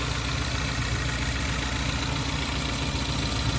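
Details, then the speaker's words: 2014 Ford Focus ST 2.0L EcoBoost after warming about 30 seconds from cold start: low, steady even hum with no taps, knocks or stumbles, no misfires logged; normal warm idle, misfire is a cold-start issue. "So a good listen cold to hot is also advisable. And it sounds great for an EcoBoost engine."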